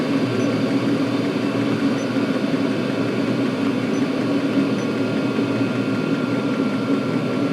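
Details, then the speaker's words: Chinese 5–7 kW 12V/24V diesel air and water heater turned down to its lowest power after 5 minutes running: 11 volts, housing 168 degrees, drawing 2 amps, water warm and steaming. Steady soft low drone, no knocking or surging; normal low-power running. "Right, I'm going to turn this down to its lowest. And let it."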